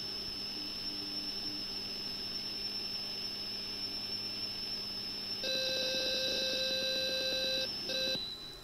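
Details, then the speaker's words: Atari XC12 tape drive on Atari 65XE, after repair, loading a saved program: steady high whistle, then an evenly pulsing data warble; normal tape data loading, less noise than before. "if we do a/c load and get the beep but then we get the noise actually sounds better now it's not making this much noise when I"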